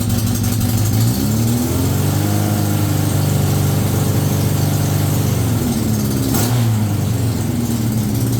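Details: Yamaha XJ900F four-cylinder motorcycle, first start-up of cafe racer project: smooth, even note rising with each throttle blip and settling back cleanly, no knocks or rattles; charging reads about 14.4 V.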